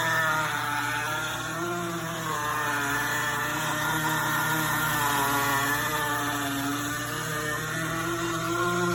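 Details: GE Profile Opal 2.0 countertop nugget ice maker while making ice: a steady, fairly loud motor hum with a wavering mid-pitched drone, louder than usual; cause unclear.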